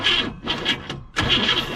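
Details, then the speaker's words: 1957 Chevrolet Bel Air 327 V8 field find, said to have last run 10 years ago, cranked with no spark (coil off): choppy, uneven cranking with harsh metallic clatter each stroke, no firing; something inside the motor seems unhappy, cause unconfirmed. "But it sounds like something's not happy inside the motor."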